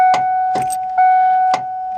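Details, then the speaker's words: 1993-era Ford Ranger with a frame-mounted starter solenoid, sat a while, run off a jump pack; ignition switch tested good with 12 V. Key turned: chime rings and single sharp clicks, no cranking. Bad starter solenoid; jumping its two contacts with a screwdriver should start it. "I'm going to try to start it and you'll hear what this does with a bad starter solenoid."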